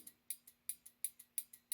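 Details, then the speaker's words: Mid-1930s trumpet horn relay on a Model A, bench-tested with 6 volts: crisp, sharp clicks about five a second, alternating louder and softer, relay working normally. "okay there's the relay so good news the relay is working"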